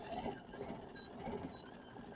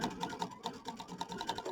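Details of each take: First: Brother/Baby Lock sewing machine with the stitch regulator in mode one (intermittent/precision) during free-motion sewing: it hums and clatters as two faint high beeps warn that the fabric is being moved too fast. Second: Brother Aveneer EV1 running free-motion with the stitch regulator: quick light needle ticks, about four per second, starting and stopping with fabric movement in intermittent mode; smooth, even regulated stitching.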